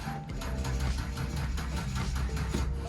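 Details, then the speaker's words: 1997 Ford Aerostar van, owned over a year and unused, first start attempt: sluggish starter churning about five strokes a second without catching because the battery is not well charged; slow cranking from weak battery. "well except for the batteries not very charged very well come on"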